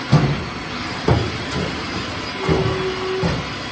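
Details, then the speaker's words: Haas VF3 mill with new way cover seals, rubber wiped with WD after running without oil: four spaced hollow clonks about a second apart over a steady hum as the axis moves; covers not binding, clonk normal for a bigger machine. "Obviously you can hear them a bit more of a clonk, clonk, clonk, but how the other one sounds, I suppose. The bigger the machine, the more they're going to be like that."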